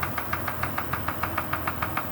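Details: Kia Sorento engine at steady idle with a sharp, evenly spaced light knock, roughly six or seven a second; suspected piston pin knock, not confirmed.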